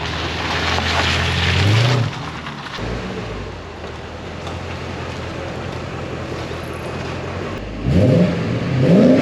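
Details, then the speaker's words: Porsche 928 S4 V8, brought in sluggish and now repaired with full performance restored, under full throttle: a strong, clean V8 pull climbing smoothly in pitch with no stumble or hesitation; healthy acceleration. "But from one V8 owner to another, this is going to be pretty juicy because when you press that loud pedal, this sounds amazing."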